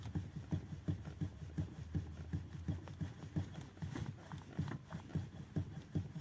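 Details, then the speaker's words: Renault Megane 3 Scenic, knocking over small bumps after rack and steering telescope play fixed: dull low clunks about three a second as the wheel is rocked, apparently from the steering intermediate shaft joint. "сейчас на мой взгляд у нас услышать как вроде бы у нас стучит рулевой карданчик такой есть у нас стук"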